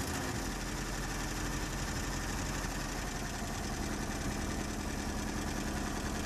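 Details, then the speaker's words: Colt engine idling low and lumpy with a stumble every few turns; misfire checked by pulling plug leads with the engine running. "tapi yang positif ini businya yang mati temen-temen di sini mobilnya pincang gejalanya kalo busi mati temen-temen ya mobilnya mesinnya kalau itu pincang ya"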